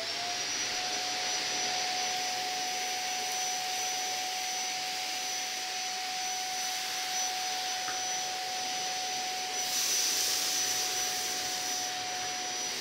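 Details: Zanussi Compact Power cylinder vacuum cleaner, new review unit, picking up cereal from floor: steady even suction roar with constant high motor whine, no pulsing or rattles; normal running.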